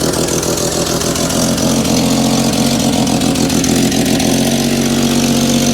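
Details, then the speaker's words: Willys jeep, cold start: uneven, lumpy idle that occasionally hesitates; the choke is not working well and the owner says it needs a choke cable; stumbles until warm, then runs well with no ticks or rattles and a little smoke at first crank. "so I'm saying is is it needs a damn choke cable cuz my choker over here isn't doing too good but once it gets warms up it runs amazing runs pretty good it's stumbling right"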